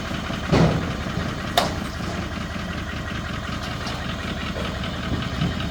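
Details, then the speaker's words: 2020 Chevrolet Silverado with L5P Duramax diesel, before an engine swap: rough uneven idle with a knocking clatter under a low rumble; cause not pinned down. "Well, that thing sounds pitiful. I'm hoping they can get it up on here before it locks up."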